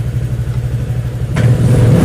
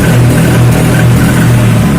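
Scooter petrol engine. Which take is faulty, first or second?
second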